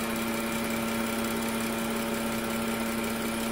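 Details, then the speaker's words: 2013 BMW 335i F30 N55 at idle: steady electric buzz at constant pitch that does not vary with rpm, from the vacuum wastegate control valve, which is being replaced. Wastegate control valve buzzing. "2013 BMW 335i as you can probably hear it's making an awful humming noise definitely not normal this appears to be the vacuum power actuator for the wastegate this piece right down here"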